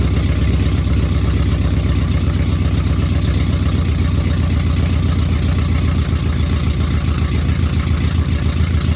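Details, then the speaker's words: V8 truck with mechanical DOD delete but DOD still active in the tune: low, loping idle with lumpy, irregular beats about four a second, running on four cylinders; owner suspects DOD, planning tune delete. "So, and it sounds like a fucking 4-cylinder when you start it up."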